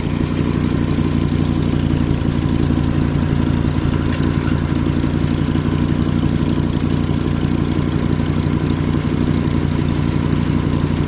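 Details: Volkswagen Rabbit idling with a rapid, uneven puffing tick about three times a second over a low rumble, from an exhaust leak.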